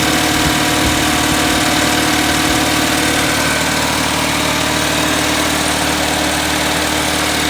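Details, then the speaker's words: 1979 "210" idling high with choke open and air cleaner off, after a choke fix: rough, shaky idle with a lopsided chuffing beat near three per second. Misfire with two dead cylinders; it dies when plug wires 1 or 4 are pulled, but not 2 or 3. "I pulled number 1 plug and it shut off. Try it again. Hold on. See? It's only running on 2, looks like. It's got 2 that are dead all the time then."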